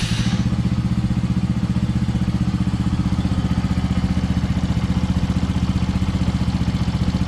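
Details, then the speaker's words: Benelli TNT135 single after 600-mile service with valve clearance adjustment, oil change and new spark plugs, run before reassembly: steady even thump about four beats a second with a faint light valve tick, a normal tinny cover echo. Normal idle. "I turned this on to check everything before I put everything back on, just to make sure nothing sounded weird. So everything sounds good."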